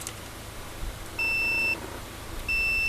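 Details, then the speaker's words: 1997 Ford pickup with engine swap that sat 10+ years and won't start: multimeter gives two clean high beeps on the crank sensor green wire, showing continuity, so the wire is intact. "We're going to simply find our green wire on our crank sensor right there and listen to the beep. You hear that? Means we got continuity."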